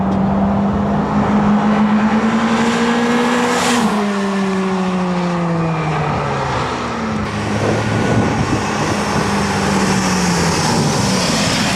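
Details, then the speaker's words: Toyota Celica GT-S with a repaired TRD muffler: smooth exhaust drone climbs with revs and falls away on lift. It stays fairly quiet until past 4,000 rpm, with no rasp, rattle or leak. "So that was the TRD muffler, and it is actually really quiet. If you compare it to my Crolex RS and yeah, the muffler, the Celica muffler, it's quiet."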